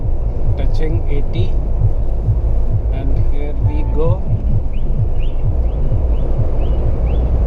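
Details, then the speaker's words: Mahindra Thar petrol automatic at 100 km/h after the service center tightened some nuts to fix a cabin whistle. Steady low road and tyre rumble with no whistle or tone over it. Normal cabin noise, whistle gone. "so now i am at hundreds i can say that the whistling sound which used to come that is gone"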